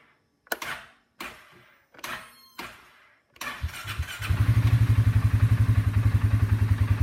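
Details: Four short starter clunks that stop dead, then the starter turns over evenly and the engine catches; starter has a bad section (dead spot).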